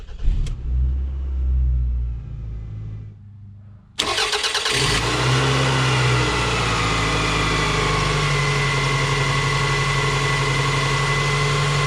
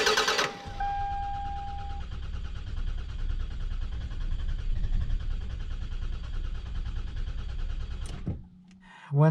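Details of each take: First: 2001 Toyota Camry 5S-FE, engine fully cold, after repair work on the cold-start fault: fires within a second of cranking and settles straight into a steady, even idle with a faint hum; clean normal cold start. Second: 2001 Toyota Camry 4-cylinder 5S-FE, cold engine: starter churns steadily for about eight seconds before finally catching; long crank on cold start traced to a faulty coolant temperature sensor (idle control valve also dead).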